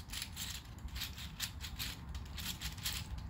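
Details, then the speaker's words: 3D-printed Pinnacle gear sphere in natural PLA, printed looser than the others, turned by hand: light, dry clicking rattles in quick bursts about five times a second; loose gears running freely, which is fine. "this one's so loose you can hear it rattle"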